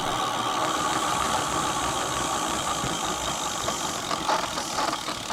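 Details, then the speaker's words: Mate X 20x4 fat-tyre e-bike geared hub motor, free-spinning on throttle after regreasing: steady mid-pitched gear whine with uneven rattling; still noisy but better, owner considers adding more grease. "So it's still noisy, but it's not as bad, is it? As you can tell. I'm thinking, should I take it apart and put more grease on it?"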